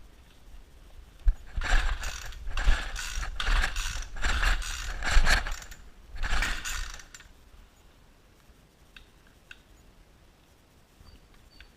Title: weed wacker wont start